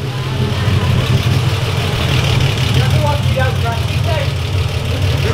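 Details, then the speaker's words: 1955 Ford Pop with Holley carb re-jetted to bigger jets: deep, steady idle with an even, smooth beat, no stumbles or hunting, picks up cleanly when revved; normal idle. "wow that that sounds so sharp hey tone it sounds nice at idle doesn't it i mean revving it sounds like it's picking up as if you wanted to"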